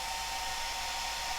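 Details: Cascade DS-925 hair dryer after repair of a no-heat fault by crimping a failed connection, running on low: steady even rushing airflow with a constant fan whine and no rattle or cutting out, heat rising to about 50-60 degrees; normal running.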